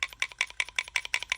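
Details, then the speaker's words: Chevy 350 junkyard automatic transmission inspection: the floating valve near the pressure regulator valve is shaken, giving about eight crisp light clicks, roughly six a second, showing it moves freely and works. "Now there is a floating valve down here, and we're going to test that in just a second."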